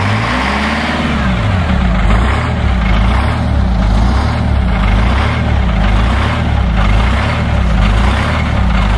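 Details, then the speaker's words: The 853 diesel on its first start in almost two years, cold (block 24°, no block heater, fresh charged batteries). The idle lopes slowly at roughly one beat a second and sags. Owner suspects the fuel linkage is set low, since slight pedal pressure holds 600 rpm. Low unstable idle. "I think the fuel linkage must be set a little low cuz with just a little bit of pressure from my foot the uh idle is holding very nice right at 600"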